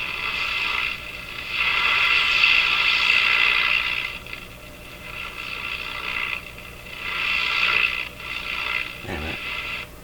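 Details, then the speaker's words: Breadner (Bradna) JBL-37 tube radio: hissy sound surges and drops in repeated gaps then cuts off completely; reception cutting out, suspected local oscillator dropping out. "oh right there it just cut off completely"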